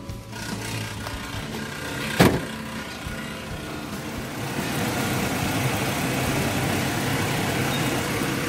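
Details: Toyota Kijang Kapsul petrol engine started after the starter motor was repaired: fairly loud but steady idle after a short clatter at start-up, with nothing irregular standing out; starter fix successful.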